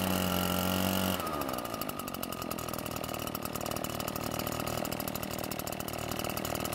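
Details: Almost-new Redmax EBZ8500 backpack blower, prone to flooding, started after drying out the flooded engine and using a modified starting procedure: fires after about a second into a steady, even two-stroke buzz, no sputter or bogging; running properly.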